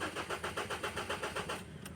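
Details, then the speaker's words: 2015 Ford Ranger 2.2 engine with a crank-no-start fault, cranked again after trouble codes were cleared. Steady starter cranking at about six or seven compressions a second never catches and fires, then stops. "So off on start ngayon. Naku ayaw pa ring umandar mga boss. Another one off. On start."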